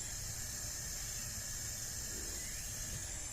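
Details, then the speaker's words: Acura 3G TL Type S front head at 60 psi compression, cylinder 5 leak-down test with engine stopped: steady faint hiss through the exhaust side, nothing at the radiator; air escaping past exhaust valve. "so during the leak down number five right now i do hear something coming from the exhaust as well you don't hear anything from the radiator which is good"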